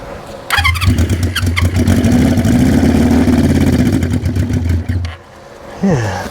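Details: 1973 Honda CB350 Four, hand-choked with fuel squirted into each cylinder: catches and revs unevenly for a few seconds, then dies; dislikes choke, carb bowls to be pulled next; fuel starvation.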